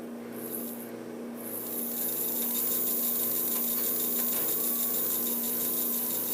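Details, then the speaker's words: Mantua 4-6-2 model locomotive motor after oiling the motor bearings and adding dry lube: light, even high-pitched hum with a soft rasp, no harsh grinding, already quieter; normal motor running. "how much quieter it is already. Sounds pretty decent."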